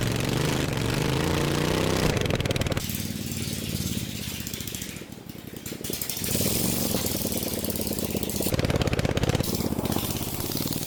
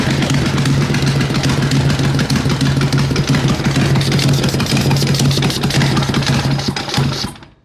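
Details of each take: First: Racing lawn mower after a 2.4-hour race, repaired cracked frame and steering, test ride without exhaust or hood; loud, raw rapid firing from an open pipe, pitch rising and falling with throttle, clean and strong with no knocks; engine healthy. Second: Racing lawn mower engine after 2.4 hours of racing, losing oil, smoking: loud uneven chugging with rattly knocks over a rough idle before shutdown; engine wobbling loose from missing mount bolts, an easy fix.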